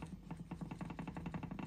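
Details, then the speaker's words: Upower 140cc engine being torn down, crank rocked by hand, head gasket blown and valves open: rapid, uneven clunks, about ten a second, show excess play; connecting-rod bearing or piston suspected, not confirmed. "Là, à mon avis... Ah, putain de jeu. Là, on a soit le vibroquin, le pied de bielle, enfin, t'as compris, le roulement de bielle qui est mort."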